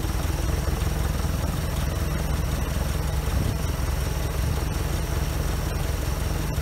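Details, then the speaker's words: OMC 140hp 2.5L stern-drive inboard, neglected for years, fuel pump swapped and run on gravity feed, started before winterizing: catches and settles into a steady, even low-rumble idle with no misses or knocks; normal idle. "are fired right up. That's a good sign."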